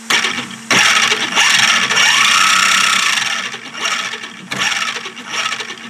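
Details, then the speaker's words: 3D-printed Open RC F1 car motor test via speed controller: sharp bursts of high buzzy whine and rattle rising and falling with motor speed; loud, possibly because the printed gears aren't clean, cause unconfirmed. "now let's try the motor which is which gives pretty loud maybe because the gears aren't to clean the printed"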